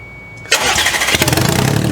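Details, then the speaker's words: Audi-based project car, first start: starter catches, engine fires and settles into a busy, slightly rough but steady idle that did not sound bad, though it is burning oil. "down there. Don't sound bad. >> That did not sound bad."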